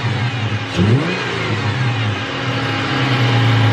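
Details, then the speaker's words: Ford Falcon engine revved: thin whine rising with revs over the engine; tired power steering pump on its way out. "That is the first thing you guys have to listen for with power steering pumps. They will start to whine, and that's when the power steering pump is starting to, you know, just on its way out."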